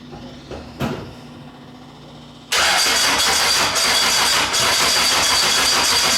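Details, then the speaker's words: Classic Mini 1.3 track car after roller rocker replacement and correcting plug lead firing order: engine catches and settles into a loud, even, steady run with no knocks or ticks; normal running. "good give it a bite that's good sounds good"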